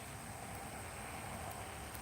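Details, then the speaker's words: Open-type gearbox on a motionette after freshly greasing the gears: a soft, even hum with no grinding or clicking. It was noisy before greasing and now runs smoothly and quietly. "nice and quiet again just like that it's that simple well for the open gear boxes anyway"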